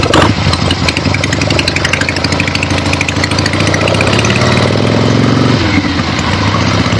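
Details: Finished 1975 Harley-Davidson XLH Ironhead Sportster after rebuild, basically stock, real road test ride with gas tank fitted, camera clipped to rider: even, steady V-twin beat pulling smoothly, no knocks, ticks or misses; runs great.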